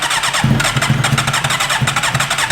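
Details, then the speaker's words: 2008 Suzuki GSX-R750 with relocated aftermarket regulator, bought used and left stranded; engine catches and stumbles with lumpy, uneven firing and dropped beats, barely holding idle, doesn't want to start; misfire. "May not even start. You can hear that it doesn't even want to start."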